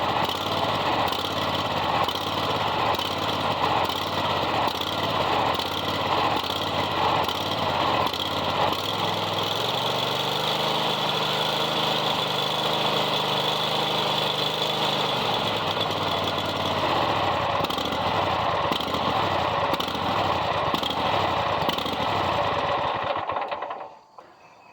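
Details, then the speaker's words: Kohler 7000 series mower engine at low idle hunts up and down in speed; it doesn't surge at high idle. Likely a dirty carburetor after the mower ran out of gas; the fix is carb removal and cleaning. "what it's doing is it's surging under low idle, and it doesn't do it at high idle, but I know that it's going to be the carburetor."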